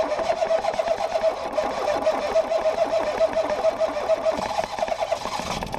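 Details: 2018 Ford Focus SE parts car with suspected water in a cylinder, plugs refitted after fluid (smelling of fuel) was blown out; starter churns about three to four turns a second but it never fires; owner suspects a drained battery; engine-fault warning shown.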